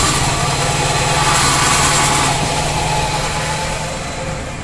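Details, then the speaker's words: Car engine running with the clutch pedal pressed, giving a rough, gritty whirr with a faint squeal on top from a damaged clutch release bearing. "jika rilis dari ini rusak inilah yang akan terjadi apabila pedal kopling kita injak jadi teman-teman bisa mendengar dengan sendirinya jadi suaranya seperti itu suaranya akan berdecit"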